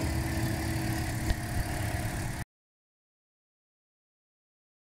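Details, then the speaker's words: 2012 Toyota Corolla after P0300 misfire fix (new coil on cylinder three, spark plugs torqued to 15 ft-lb), heard at the exhaust at the rear: steady, low, even idle with no skips, no vibration, no misfire. "you go think you could tell by the vibration there's no more misfire and we were all set"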